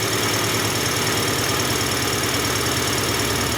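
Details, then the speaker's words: Honda/Acura petrol engine after adjusting the cold fast idle valve to fix a warm surging idle: even, steady warm-up idle with no hunting or surging, sounding much better; some flow still felt through the cold fast idle port. "That sounds a lot better. Do a couple of snaps."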